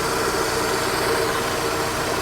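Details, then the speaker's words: Astra G idling with A/C on after replacing a faulty A/C compressor clutch that wasn't engaging; smooth, even idle hum, no knocks or rattles, compressor now turning; normal. "Well, it sounded good. You can compressor is now turning,"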